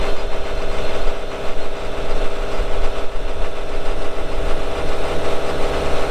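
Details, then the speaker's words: 2018 Dynapac CC5200 double-drum vibratory roller, Cummins 135 hp diesel, 6,764 hours: deep diesel drone with rhythmic throbbing from both vibrating drums, no knocks or misses; normal running. "so here in a little bit we'll fire it up and you'll see that it runs good both drums are vibrating"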